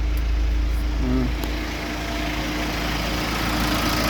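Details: BMW diesel at steady idle after repair: timing had jumped a few teeth at the rear, first mistaken for a failed high-pressure pump, then retimed. Idle is even and smooth with no knocking or misfire, quieter than before the fix.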